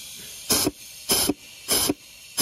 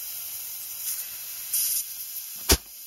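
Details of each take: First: Transmission air pressure check: four sharp bursts of air hiss over faint steady hiss as air escapes inside from a leak in the forward clutch apply circuit, which could cause delayed engagement. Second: Toyota A340E automatic transmission on the bench, valve body removed, air pressure applied to the band servo passage: short compressed-air hiss then a sharp clack as the band grabs the drum holding the sun gear; servo and band working normally.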